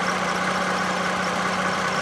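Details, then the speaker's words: 2007 Toyota Camry XLE V6 running at idle with a smooth, even, slightly truck-like hum and no knocks or clanks. A squeaky serpentine belt is noted in cold weather, otherwise normal. "sounds a little bit trucky sounds almost like a truck would it be six in it I guess that's what all v6 is sound like"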